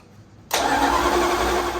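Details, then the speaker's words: Dodge Dart small-block Mopar after long lay-up, cranked on a jump pack: fast, even cranking that never fires; no spark, later traced to an incorrectly wired ignition module. "sounds an awful lot like there's no spark happening, hey? God. All right, I'm gonna dig a bit further. I don't think this thing's got spark."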